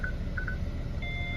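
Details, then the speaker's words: Hyundai i40 front parking sensors give a permanent warning with nothing in front; short beeps turn into a constant high tone, a false warning traced to corroded centre sensors while the outer ones work. "Okay, so there is a permanent signal flashing in front of the car."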